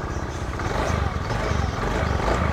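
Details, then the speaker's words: Honda Beat FI scooter that was previously totally dead and wouldn't start, now started with the starter. It catches and settles into a steady low putter with an even beat and no misses. It idles normally. "Hei Alhamdulillah Joe sediakan Bro mesinnya udah hidup titip ya"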